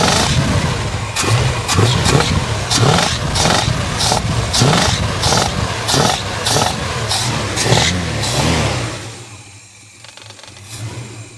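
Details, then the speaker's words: Warm boat engine idling roughly with uneven popping crackle, then settling to a quieter idle; the noise, earlier from low on the motor, now comes out the top of the carburettor, with water found at the back of the motor. Cause unknown. "I don't know if you can hear that crackle, but that noise is now coming out the carby, out the top of the carby."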